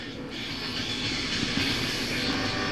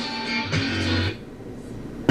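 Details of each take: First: SoundTech PL250M amplifier whose protect light flashes at power-on and whose outputs are noisy: harsh, crackly hiss with no clean signal underneath; a chip fed a clean signal outputs scratchy sound, suspected faulty. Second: SoundTech PL250M amplifier with noisy outputs, probing the output chip's input pins: guitar chords ring clean and clear with no fuzz, just a click at the end; the chip is fed a clean signal but outputs distortion, so the chip will be replaced.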